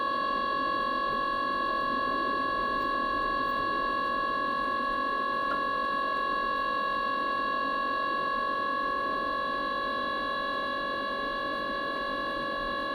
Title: Mikuni heater wont start?